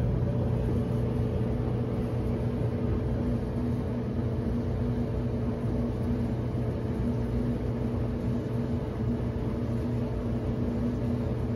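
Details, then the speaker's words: Whirlpool Cabrio WTW7300DW0 dryer after rebuild with five new parts (thermostat, drive belt, idler pulley, rollers and one other part), running and heating with good airflow: steady low drum rumble and constant faint hum, no knocks, squeals or scraping. "it sounds good world pool cab weo dryer has been fixed"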